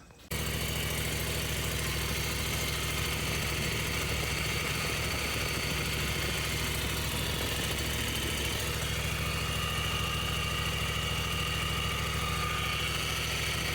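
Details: Zero turn mower after hydro drive belt replacement and tensioner reset: steady small-engine idle with even low thrum, no belt slapping or rattling; tension sounds correct and healthy.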